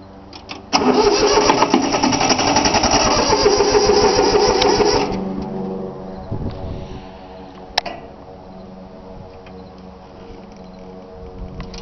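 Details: 3-cylinder Yanmar diesel cold start after glow plug heating: steady starter churn about four pulses a second for five seconds, never catches, then stops; unbled fuel lines left air in them, though it usually starts right up.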